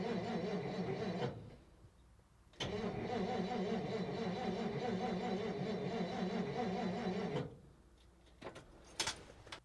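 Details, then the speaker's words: 1957 Dodge Texan sitting unstarted since July 2023, carburetor body loose: two long bursts of even cranking at about four turns a second with no catch; owner suspects flooding and holds the choke open. "I think this thing is flooded hold that choke open see if that helps definitely getting some fuel now"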